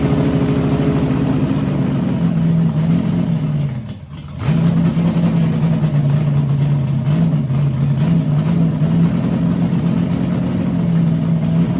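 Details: 6-inch rodded 350 Chevy V8 (HQ Holden Kingswood project), run after fixing an MSD box earthing out through the white wire; lumpy idle hunts up and down, nearly dies, then catches; owner notes a couple of vacuum leaks.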